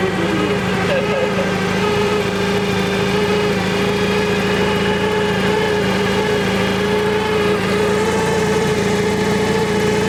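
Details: Toyota forklift that had not started in two years, running after spark was restored and ignition signal loss code 09-1 cleared; even, steady engine hum with constant pitch and no misses or knocks, holding a smooth idle.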